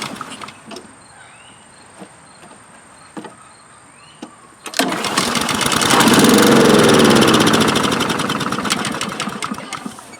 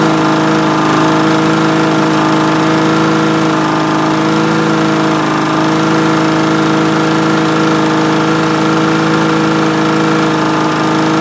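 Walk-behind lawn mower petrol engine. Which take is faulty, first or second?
first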